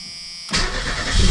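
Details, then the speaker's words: Merkur XR4Ti after starter and engine mount replacement (back to factory mounts), cold, no coolant, drive belt off, battery sat about six weeks: quick crank, engine catches cleanly into even low idle; oil pressure 60 psi. Normal start. "all right well it still runs that's good battery light's on because the uh the belt is off"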